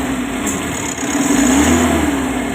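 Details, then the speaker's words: Mitsubishi L300 Euro 4 diesel test run after alternator bearing and carbon brush replacement and cleaning: steady idle swelling smoothly into a light rev and settling back, no knocks; now quiet. "Exciting part, ang testingan time. Go! Mahimik na."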